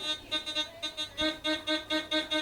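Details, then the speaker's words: Gold Finder GF2 metal detector with 11-inch DD coil in a depth test on a thin gold ring: a clean, bright tone pulsing about four times a second, strong and steady at 10, 12 and 14 inches; a target tone. "10 inches, good. 20, sorry, 12. Good. 14. 14 inches, still got it. Look at that. Such a small piece of gold, and 14 inches so far."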